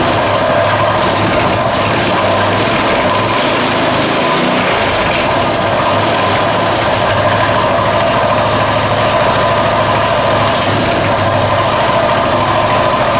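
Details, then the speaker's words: Colman 196cc mini bike, a customer return sold with a locked-up motor, first start after repair: fast, even single-cylinder idle with no rod knock underneath, sounding healthy. "It sounds okay to me. Wow, I can't believe it."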